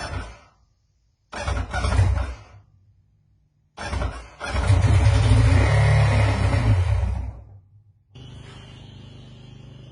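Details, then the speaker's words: Two-stroke Sea-Doo just after a complete rebuild: after a few short start attempts it runs with an uneven, stumbling beat. A misfire. "okay since i have a miss here i'm gonna do i'm gonna make sure both of these cylinders are firing"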